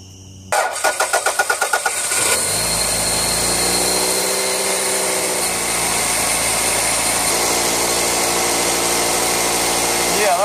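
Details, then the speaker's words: Toyota Camry 2.2L 5S-FE I4 after timing belt tension reset, with new belt, water pump, seals and pulleys; brief cranking, quick catch, smooth steady idle, belt now only flutters slightly, no slap or ticking; normal idle. "better look for the belt what's going up and down like this over here now it's only going like this it's like a flutter"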